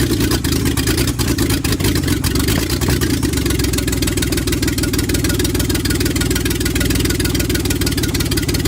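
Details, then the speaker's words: Scimitar GTE first run after about 25 years off: bores freed, ignition redone, timing reset, wrong carb, poor compression test. Steady, even low-pitched running with regular firing and no knocks or misses, settled at idle. "she runs."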